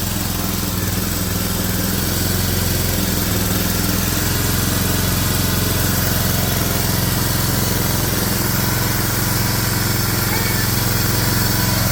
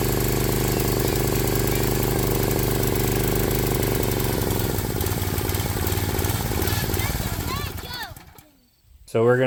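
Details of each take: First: Briggs & Stratton 7 hp engine on a Swisher 22-ton log splitter, after carburetor cleaning to cure surging: steady, even run with no hunting or surging. Normal idle, fixed. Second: Swisher 22-ton log splitter with a Briggs & Stratton 7 hp Intech single-cylinder engine, before carburetor cleaning: the idle hunts, drifting up then sagging before dying away, a surging idle; the air filter is dirty.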